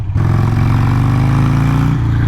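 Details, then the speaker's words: Harley-Davidson Sportster 883 project bike, riding under throttle: the V-twin pulls with a steady drone, then pitch stalls and sags instead of climbing; it hesitates on acceleration, cause unknown to owner. "see that's a issue that I have with it right there it likes to hesitate right then I don't get it"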